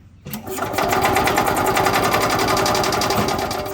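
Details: Robin 2-cycle engine in an Ez-Go golf cart, carb just refitted after sitting with bad fuel: rapid steady cranking, about four beats a second, never catching; it fired once but isn't getting fuel.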